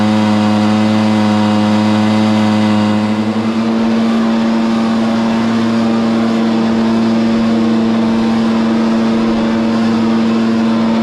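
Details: Stihl BR430 leaf blower, after a bogging fix (carburetor cleaned, high-side limiter adjusted): a strong, steady high drone held at full throttle with no bogging or surging; normal full-throttle run.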